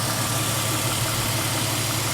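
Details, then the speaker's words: BMW E46 petrol engine idling after timing chain tensioner replacement to fix a cold-start rattle: steady low hum, even note, smooth, no rattle or knock. "Idling nice and smooth. Very smooth in fact. Not sure if that's placebo or what."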